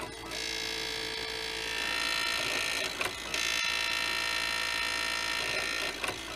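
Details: Original Xbox DVD drive with a spindle clamp bracket bent, apparently from someone prying at it. It makes a loud, harsh, high-pitched scraping rasp while spinning and loading a game disc, as the disc rubs the bracket.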